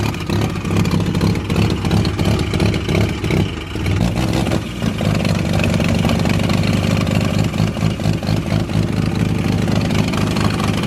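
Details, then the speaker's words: Mazda FD RX-7 bridgeported rotary, first start-up, cold start: choppy, loud, staccato idle that holds on its own without stalling; running rich but not excessively. "yeah it's Rich ASU it's not too bad though it's not excessive oh I I suppose it's a cold start too"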